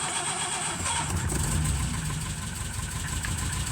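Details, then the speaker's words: 1936 Rover 12 tourer cold start after winter layup, head cleaned last year, oil pressure at 20 and expected to reach 30 when warm: fires and settles straight into a steady, even low rumble with no misses or knocks. "I think it's safe to say it works. Um, I did clean the head last year and it does seem to have made a a nice difference on starting. It's always been a good starter."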